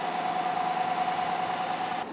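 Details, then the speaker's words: 2014 GMC Sierra 1500 after replacing seized AC compressor and expansion valve, during R-134a charging, 50 psi low side, 200 psi high side: steady even mid-pitched hum at idle, no knocking or grinding, compressor running smoothly. "this is it running strong it feels so good having AC again"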